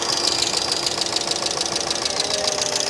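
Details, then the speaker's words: 2005 Mercedes ML350 (W163) bought with no oil, idling: quick, light ticking chatter over the idle alongside a power steering whine; owner hopes oil delivery is fine, source not yet found. "I don't like the chatter I really don't like the chatter either so hopefully we don't have any oil delivery"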